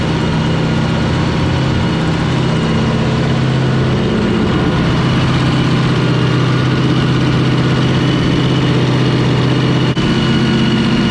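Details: Fountain 42 offshore racing powerboat with twin 9-litre engines, started after racing and a fresh-water flush while a misfire is being investigated. Deep steady burble at an even idle with no misfires, ticks or knocks; sounding pretty right, normal idle.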